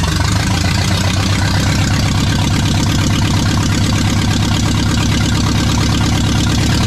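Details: Restored 1979 Ford F100 with a brand new engine on first fire: the V8 fires and holds a deep, steady rumble with even beats and no miss or tapping, running healthy.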